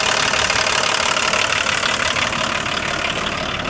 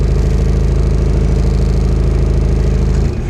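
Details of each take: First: Diesel car with a six-wire engine, started after sitting a while. Even clatter of about three knocks a second, steady and settling slightly, relatively happy. Normal idle. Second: Diesel car previously run on vegetable oil, just started after sitting a while, air conditioning on. Heavy, low clatter with an uneven beat near 200 per minute, labouring under AC load; owner also says the alternator is bad. Rough running.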